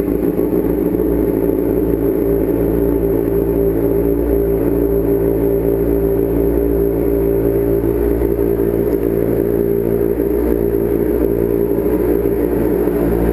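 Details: Street motorcycle after a starter rebuild (starter had failed when hot), started with a little choke: steady engine, even exhaust pulse, no misses or knocks; healthy idle.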